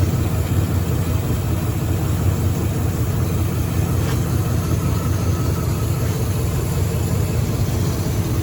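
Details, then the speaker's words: Chevrolet S-10 pickup at idle after reinstalling the mass airflow sensor: deep, lumpy idle with an uneven beat, one cylinder dropping out; scan shows a steady misfire on cylinder 1 only. "We're getting misfires on cylinder 1. Only on cylinder 1."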